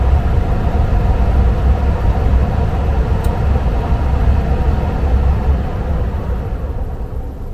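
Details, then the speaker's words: Furnace with new Evergreen IM 6005 ECM blower motor replacing the old PSC, after fan hold is removed: low, smooth airflow rumble fading over a long ramp-down with no rattle or squeal. Very quiet, normal. "and it's a really long ramp it just stopped there but it's very quiet"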